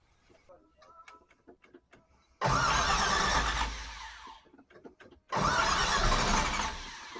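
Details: 1968 Camaro 327 V8, newly fitted Muncie 4-speed, first start after install: cranks and catches, runs loud and uneven, dies, then restarts rough; not the usual knock, the distributor cap was on cockeyed, not seated square.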